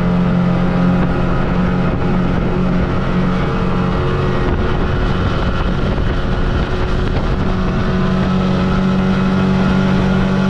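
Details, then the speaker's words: Tracker by Mercury Force 50 hp two-stroke outboard at full throttle, after throttle cable and carburetor linkage adjustment so butterfly fully opens: smooth constant drone with wind, no hesitation or surges, planes 3–5 s sooner; normal running. "just from a sound perspective the boat sounds like it's running a lot smoother and especially at that full throttle there was no hesitation and it was actually getting on plane a lot sooner"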